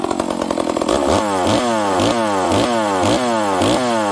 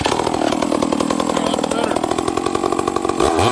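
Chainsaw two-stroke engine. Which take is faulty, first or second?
second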